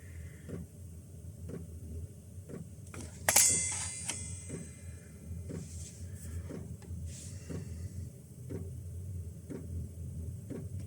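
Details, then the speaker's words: Chinese diesel heater in a closed van, set to minimum (1 Hz pump rate), at startup: steady soft ticks about once a second over a low hum with one sharp click as the fuel pump primes before ignition; normal operation. "this takes a few seconds to fire up you'll hear the pump kick in and then you'll hear it ignite"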